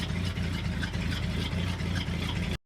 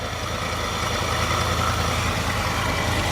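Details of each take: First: 1966 Ford F250 carbureted V8, idling cold after the fuel tank reinstall: a fairly steady, throaty idle with even firing and no stumble. The exhaust steam is probably condensation from a cold overnight, and there are no leaks; a normal idle. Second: 1966 Ford F250 carbureted engine, started after sitting overnight following the fuel tank job: a rough, uneven low idle surges and sags before fading out as the float bowl empties. Fuel starvation is suspected.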